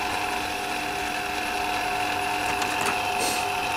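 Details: CDE/HyGain Ham2-4 antenna rotator just serviced (strip cleaned, glass bead blasted, motor start capacitor moved into rotator, automatic 3-second brake): steady mid-pitched motor hum with fine gear chatter and a brief clatter near the end; turning smoothly under power.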